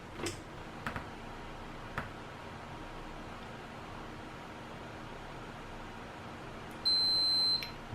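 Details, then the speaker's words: Ninebot G30 Max battery thermal switch, normally open, heated with hot air to probably around 60°C while tested with a Fluke meter. A steady high beep under a second shows it has closed; beeping stops as it cools. Switch working. "okay so it beep and now when the battery is cold so it will stop the beep okay so this one is working"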